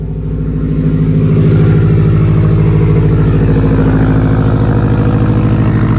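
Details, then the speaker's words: 2016 Subaru WRX STI, warm, started on a jumper pack, low compression in cylinder two: deep rumbling lope at idle with an uneven beat about three times a second, like a big cam; one cylinder misfiring. "when it's warm it's just rumbling uh it sounds it sounds like it's missing honestly but you could you mistaken it for a cam if you wanted to"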